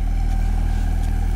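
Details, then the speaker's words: Alesis M1 Active MK2 powered speaker after repair on the faulty left unit: steady deep 40 Hz tone with only soft air puffing from the port, no hiss or flutter; output now normal. "guys I fixed it and I'm glad and I'm happy that's great I probably will order a new board for that speaker but right now they're working perfectly"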